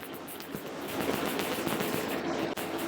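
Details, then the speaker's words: Freshly rebuilt Harley Fairbanks-Morse magneto spun in a lathe on a spark-gap jump test fixture, lights off: sharp rapid snapping at a steady rate as spark jumps the gap, ozone smell; firing strongly and consistently. "I'm kind of experimenting here obviously you could hear it I think you could hear it anyway I could smell the ozone coming off of this thing"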